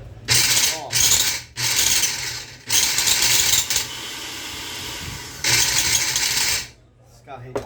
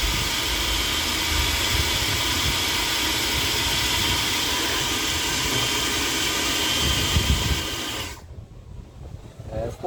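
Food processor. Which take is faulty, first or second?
first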